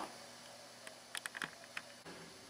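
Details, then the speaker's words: Repaired early-1960s Harmony H322 tube bass amp (7591 output tubes, four 8-inch speakers) idling with only soft hiss and its former loud 60 Hz hum gone. Microphone is spaced in front of the speakers; a few distant clanks intrude. "First off, let's celebrate the absence of that loud 60 cycle hum that's been haunting us. The amp is on now at the settings I showed you, and I don't hear a thing other than my next door neighbor moving his trash pail"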